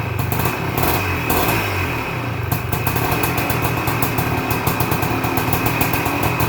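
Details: 1978 Suzuki PE250 two-stroke after year-and-a-half rebuild, first cold start: crisp rapid popping settles into a steady even run with no misses or knocking; healthy normal idle.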